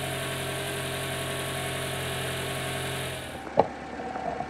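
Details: Toyota RAV4, voltmeter reading almost 14.5 V (alternator previously put out only 9.5 V): smooth, even idle with no charging whine, then engine switched off. Normal idle.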